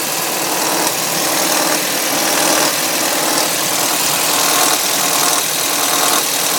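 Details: 2005 Audi A3 2.0 FSI on cold start: loud, busy clattering rattle over the idle that lasts about 3 minutes, then settles to a normal injector sound. Owner suspects the tensioner; not confirmed.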